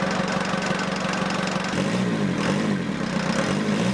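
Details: Ford Transit 2.5DI diesel after inlet manifold cleaning, EGR blanked and fuel lines bled. Engine catches and settles into an even idle with the usual diesel clatter, nothing irregular. Normal diesel idle.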